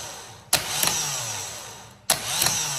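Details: Vectra starter tested by touching the positive terminal: spins up with a sharp clack, winds down, kicks in again about a second and a half later; intermittent, likely poor contact at the loose terminal screw.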